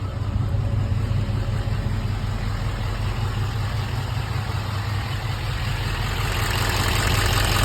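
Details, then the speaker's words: 2015 Duramax diesel, first start after engine replacement (refurbished engine after broken crankshaft), coolant system filled with water: even low rumble at steady idle, no knocks or misses; runs quiet. "But it runs amazing. It's quiet. Everything's good."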